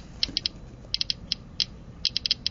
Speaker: still no change in the clicking rate so gamma particles are not blocked by aluminum foil